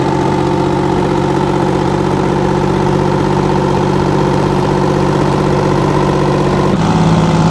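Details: 60-year-old Massey Ferguson 98 tractor with factory Detroit Diesel GM 3-71 two-stroke engine, after significant restoration: even, throaty two-stroke diesel beat with no misses or knocks, then a smooth pickup in pitch, normal running.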